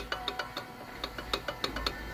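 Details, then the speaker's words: 2020 Chevrolet Spin 1.8 8v, right-side wheel: sharp metallic clacks from a loose brake pad rattling in the caliper with its pressure spring missing. Customer reported right-side suspension noise, but there is no suspension play and the left pad is tight. "Vamos desmontar virar o pneu aqui do lado direito pra gente verificar ó aqui né pronto vamos vamos remover o p pra gente verificar porque não tem nenhuma folga na suspensão então o único barulho que identificamos foi esse aqui"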